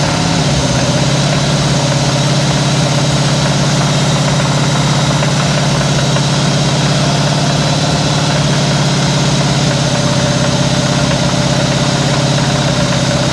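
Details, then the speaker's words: 1973 Chevrolet C10 Cheyenne Super 10 with EFI big block V8 and non-adjustable valvetrain, idling with a quieter muffler: steady low rumble with a faint rapid knock underneath; owner suspects rod knock, unconfirmed. "I know the camera's back there, but with a quieter muffler, this motor has a rod knock."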